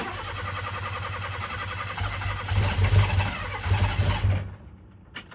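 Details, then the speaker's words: Mira cranks steadily at about four beats per second with a few weak catches but won't start. The owner suspects insufficient fuel and plans to drop the tank and swap the fuel pump. "I think it's just not getting the right amount of fuel. You hear that? And I feel like it just has to be a fuel issue."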